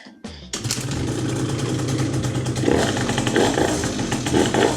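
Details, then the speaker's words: Piaggio Typhoon two-stroke scooter after carburetor cleaning, kick-started: catches straight away, settling into a crisp steady buzz that picks up cleanly on throttle; running much better, before mixture screw adjustment. "Yep, that feels exactly how it's supposed to feel. We're going to start off by turning that air mixture screw all the way in, but yeah, she sounds better already. She's running miles better."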